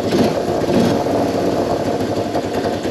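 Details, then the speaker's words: Small single-cylinder Moto 4 ATV, warm, after fuel screw set one full turn out and idle screw raised; settled idle with revs dropping back quickly, no idle hang or surging; healthy idle. "I think that sounded pretty good"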